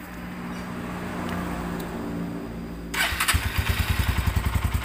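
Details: Tiger Evo motorcycle already seen at several shops, which the owner says tops out around 80, sounds very rough and makes noise on climbs: after start-up, a coarse rattling beat about 3.5 per second at idle; clutch housing rattle.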